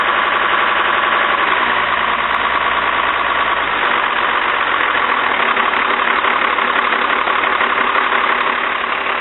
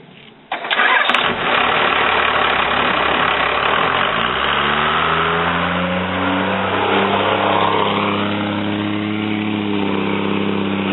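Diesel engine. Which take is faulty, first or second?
first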